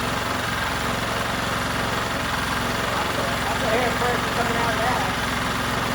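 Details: New out-of-box 79cc bike kit engine on a table, fitted with Chinese muffler and air cleaner: fast, steady, slightly uneven high idle held by governor; won't start on low idle, owner plans to remove governor.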